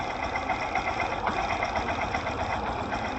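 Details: Engine heard through a Phillips screwdriver used as a stethoscope: soft, even ticking at idle, about four per second with no heavy knock, the piston working cleanly in its cylinder sleeve; normal idle.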